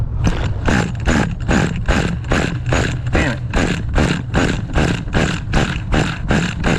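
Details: Vintage 2000 HPI Nitro Rush 1/10 stadium truck with an old, restored 15FE nitro engine: rhythmic starter churning at about two and a half beats a second with no firing; the engine spins but won't start, cause unconfirmed.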